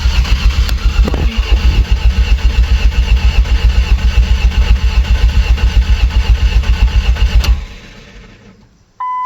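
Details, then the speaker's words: Ford Ranger with a junkyard 2.3L engine, said to have about 80,000 miles and exposed to flood water, first cranking after install: fast, strong, even cranking pulses for about seven seconds, with no oil pressure reading yet. Normal cranking. "sounds good cranking, don't it? So good."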